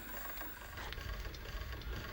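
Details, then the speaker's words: 1988 Sony SLV-353 VHS video recorder on the bench: faint fast ticking rattle over a low rumble while the capstan rotates; abnormal noise traced to the capstan drive. "It's definitely a noise with the capstan as it's rotating."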